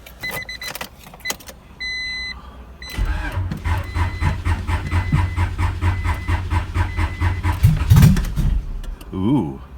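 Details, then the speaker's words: 1992 Honda Prelude, low miles, after an oil pump replacement, exhaust not yet refitted: cranks and catches, then runs loud and raw with a steady, even pulse from the open exhaust and no knocking; runs fine, though oil has spilled over the engine. "oh all right so that was working great and yep oil all over it"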